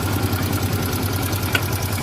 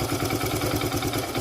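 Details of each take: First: Hero Super Splendor BS4 at 23,808 km, possibly more, idling: a fast, even metallic ticking from excess tappet clearance, with timing chain noise also suspected. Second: Supar Splendor bs4 engine tepid and timing chain sounds removed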